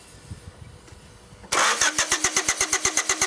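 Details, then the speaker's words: 1993 Honda Accord with an intermittent no-start when hot, cranked while propane is fed into the intake through the pulled PCV hose. Steady cranking at about 160 per minute; it briefly seems to want to start but never catches. "I'm not sure if that's enough. Not a whole lot of propane coming out of here. It did seem to want to start there for a second."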